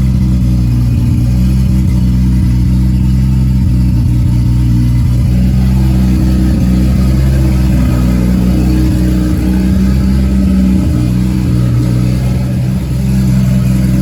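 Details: Nissan S14 240SX with freshly built 1.5JZ non-VVTi (272 cams, twin-scroll 6865 turbo, 2150cc injectors), idle after first start: loud steady low rumble, even firing beat, slight lumpiness, no knocks or rattles; healthy.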